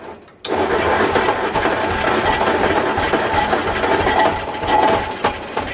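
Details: Ford flathead V8 on an old farm irrigation pump, year unknown, first startup: cranks, then catches into a rough, uneven run that surges and fades without a steady idle; starter gear may be hanging up, owner suspects a couple of stuck-open valves.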